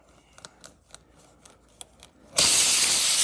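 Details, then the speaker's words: Tire being reamed for a plug with a repair kit's reaming tool: light scraping clicks, then a sudden steady sharp hiss as air leaks from the punctured tire through the hole. "can hear it's going to leak a little more air, but that's okay. I'm just going to keep going until I have a hole big enough to fit the plug."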